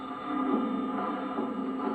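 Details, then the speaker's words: Retra 333 AM/FM valve radio on long wave after replacing a valve that had tested fine: the programme plays smooth and steady, with no crackles, pops or dropouts; the crackling was confirmed as that valve's fault. "as you can see absolutely no crackles at all just to show it's definitely the valve that was at fault"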